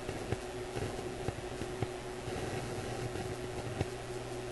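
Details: Graetz Polka 1113E German antique radio on oscilloscope test: constant hiss with sharp irregular clicks about every half second, voltage at the probed point fluctuating; cause not yet found.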